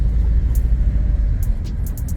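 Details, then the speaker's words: Right after a transmission replacement and ATF fill, engine idling with flashing dash light: deep, uneven rumble that stumbles irregularly; owner hears a misfire and suspects a solenoid, unconfirmed. "I know I'm misfiring still cuz I can hear it pretty good and I believe that's something with the solenoid"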